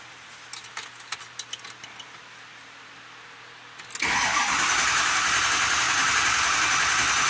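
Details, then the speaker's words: 2005 Ford F-250/F350 6.0L Powerstroke diesel, 287,000 miles, no-start: starter cranks steadily but engine never fires; scan shows IPR fully closed and insufficient injector control pressure. "which means it ain't getting enough pressure so it's trying to dump all of the pressure through the rail"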